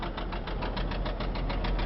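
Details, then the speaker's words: 2006 Chrysler Concorde four-door idling: a sharp, regular knocking about eight per second rides over the idle, locked to engine speed; internal engine knock, motor needs rebuilding. "it's nice and clean inside but it has a motor problem the motor has a knock in it"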